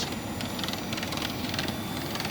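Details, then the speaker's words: 2013-on Nissan Pathfinder right cooling fan, which runs for the AC, running below full speed with the engine not hot; rattly, irregular clacking over a steady whoosh as the fan assembly vibrates, stopping when the AC is turned off. "but the right is for the ACE because there the whole thing is vibrating [Music] in the noise"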